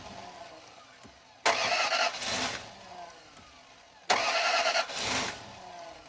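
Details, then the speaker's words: Toyota Land Cruiser being repaired roadside, timing belt work done, with the air intake, mass air flow sensor and throttle body unplugged: two short cranking bursts that sound like it is really trying but never catch; crank no start because the sensors are unplugged. "It sounds like it's really trying. I'm going to throw the air intake on so that the mass air flow sensor is getting a signal and then try again and it should be good."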